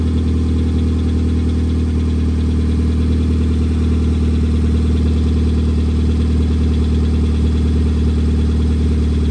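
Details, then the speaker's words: 2004 Hyundai Elantra, 135K miles, oil changed every 5K miles, valve cover leak: busy fast clatter at cold start that quiets once oil circulates; owner suspects lifters, bearings and rocker arms before oiling. "all that valve train noise that's what I think it is it sounds like lifters and bearings and rocker arms before they get oiled"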